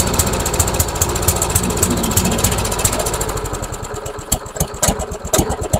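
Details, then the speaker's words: MTD Yard Machines trash-found mower with Briggs engine, new spark plug fitted: sputtering unevenly, stumbling and fading, then catching in ragged bursts; spark plug ruled out, owner suspects fuel starvation from a clogged main jet; rough running. "it doesn't want to die it's ising at least it's ising I wonder if it's just not getting enough fuel I wonder if it's just simply not getting enough fuel maybe the main jet is clogged"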